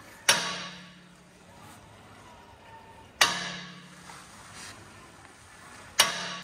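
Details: Tesla Model 3, clacking: three sharp isolated metallic clacks seconds apart with brief ring; largest sensor peak found directly behind front brake disc, front suspension clack, cause not yet confirmed.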